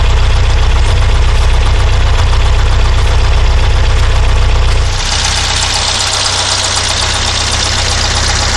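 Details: Porsche 912, Dellorto DRLA carburettors, after cleaning a jet: lumpy uneven idle with a steady missing pulse, one cylinder dead; spark seems fine, smells fuel-starved; junk later found in cylinder four idle jet.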